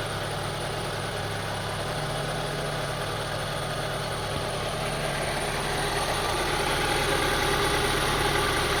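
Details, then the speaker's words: 2002 Honda CR-V 2.4L at idle after cleaning the idle air control valve: uneven, lumpy pulse of about three beats per second over a steady hum, rough idle unchanged; owner suspects a bad throttle body or air control valve, cause unconfirmed. "See, I cleaned the air control valve beneath there, located beneath the throttle body, but did not solve the problem. Maybe the throttle body is bad, or maybe the air control valve is bad. So, as you see, still the same thing."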